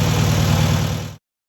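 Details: First start of a newly rebuilt air-cooled VW 1600cc flat-four: regular, even exhaust pulses at steady idle for about a second, then the engine cuts off; runs cleanly, normal idle.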